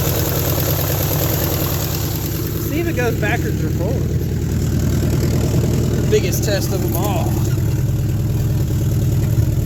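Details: 1972 Nova 307ci V8 started after 35 years with a carb kit and sanded points: lumpy idle skipping every few beats, with raspy exhaust-leak puffs. Missing on a cylinder or two, described as running on at least six; the owner suspects a flat cam lobe.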